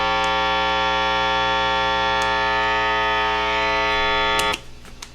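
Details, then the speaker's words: Epiphone Les Paul Special with stock Epiphone P90 single-coil pickups, strings untouched, Fender Hot Rod III Deluxe switched to distorted channel, drive fully up: loud steady flat buzz of mains hum, increasing over clean channel, cutting off abruptly. "let me just switch it over now to the distorted Channel and you'll hear hear what it sounds like right away You're going to hear an increase in that buzz without me even touching the uh or making any sound with the strings"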